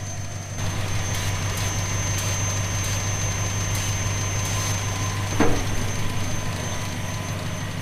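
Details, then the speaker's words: 1970 Plymouth Fury III convertible, 318 V8, 904 automatic, glass-pack exhaust: thin steady high whistle over an even idle; vacuum leak, owner suspects one of the lines at the back of the carburetor. "I think it's one of the lines coming out of the back of the the carb so we'll fiddle and fart and see if we can get the tone to change we'll know which hose it is"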